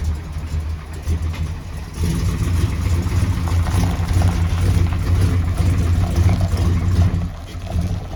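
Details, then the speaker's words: 1978 Chevy RV with Onan generator: uneven, loping idle that sags and surges irregularly, black smoke, trying to die when put into gear; rough running, stalling, cause not yet pinned down. "all righty guys listen what the Big Kahuna is doing it doesn't sound good at all black smoke everywhere it's trying to die and it does it when you put it into gear"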